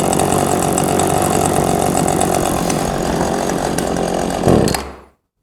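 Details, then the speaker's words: Old two-stroke chainsaw unused about five years, idling and slowly dropping: runs rough, then sags and dies the moment the throttle opens; low idle jet suspected to need opening up, not confirmed. "now you notice as soon as I gave it gas it immediately died that gives us an indication that our low uh our low idle Jet uh needs to be opened up a little bit"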